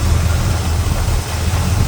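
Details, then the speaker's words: Small block Chevy V8 after adjusting rocker arms/valve lash with engine running to cure chatter: deep, steady idle with no valvetrain ticking, quiet. "All right. Waddle sounds good. Oh, look at all it's quiet."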